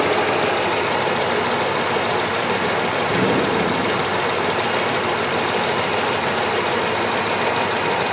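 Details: BMW S62 V8 at idle: fast, even ticking over a smooth idle, steady throughout; top-end tick of undetermined cause.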